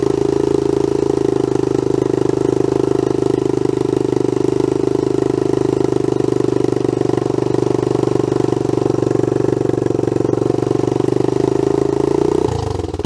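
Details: Honda CT110 Trail abandoned in a garden for years, after the carb fuel filter was cleaned and the bowl drained: it idles steadily with a raspy puffing edge throughout, as the exhaust is blowing.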